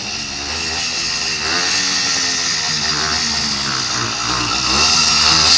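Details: Two-stroke kit motor on a Columbia motorized bike, cold started. Fast, buzzy idle that holds steady and builds slightly as it warms up. Runs well once warm; normal idle.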